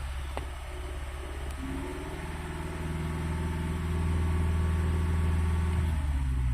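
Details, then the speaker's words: GMC 2.4 (Acadia or Terrain), codes P0300, P0352, P050D: hard misfire on cylinder 2 at idle, regular stumble about four beats a second that stops when revved; suspected poorly gapped spark plug, weak injector or ignition coil. "I let off at idle it misses it seemed like it's a spark plug like a poor Gap that's really what I got my thoughts on"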